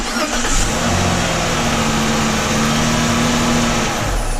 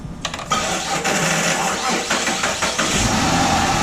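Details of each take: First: 2007 Chrysler 300 3.5 L V6 after starter replacement, ground fixed, connections cleaned, new starter terminal; previously dragged slowly. Quick, even cranking spinning up smoothly without drag or whine, then catches; normal starter cranking. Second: 2007 Chrysler 300 3.5-liter V6 with good battery, charging: labored, slow, uneven dragging crank before catching, worn starter struggling to spin engine; later replaced, grounds also to be checked.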